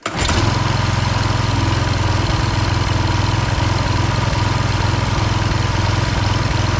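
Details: Husqvarna HU 625HWT four-stroke string trimmer that wouldn't run, restarted after repairs and oil change, burning oil off the muffler: catches right away and settles into an even, steady buzz with no stumbling; running well.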